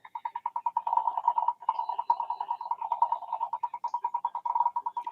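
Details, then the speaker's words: DSW-II-20 CW radio, believed to be a 30 m board with a 32 MHz clock, under revival: a steady mid-pitched tone chops on and off about 2.5 times a second, a pulsing the owner thinks shouldn't occur, though it may be normal. "I mean that that switching on and off that pulsing that in my world that shouldn't do that. Maybe it's normal for this thing, but"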